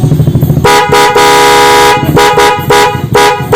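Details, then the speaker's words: Honda CB150R motorcycle with added Denso horns wired through a relay (terminal 30 straight to the battery), standard horns still working: loud, clear two-tone blasts, one long and several short, steady pitch, no rasp. Normal horn operation. "Kita tes untuk suara klakson Denso nya, cukup mantap sekali ini suaranya bro."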